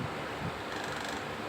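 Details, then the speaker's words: Electric fan after bushing repair; the earlier scraping came from a screw rubbing. Tested on speeds one to three, it now gives a steady, even rush of air with no rubbing, scraping or ticking; smooth and quiet, ready to return to the customer. "ngayon Ah okay na yung electric fan natin Pwede na nating ibigay para sa kanya"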